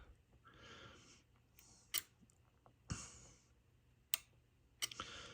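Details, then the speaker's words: Yaesu FT-757GX transceiver on 13.6 V that won't power up from its button: a few sharp, uneven relay clicks with no fan spin-up after them, so it isn't booting. Power relay or driver transistor suspected, not confirmed. "so yeah so when I hit the power button you can hear the relay key we're clicking and then the fan doesn't goom that means it's it's not booting"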